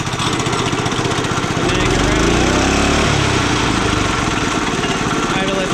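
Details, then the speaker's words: Honda trencher engine running after tune-up: rough, uneven, low heavy beat that sags and settles; engine is worn out, which is why it smokes. "we got it running right the engine's worn out that's why it's smoking"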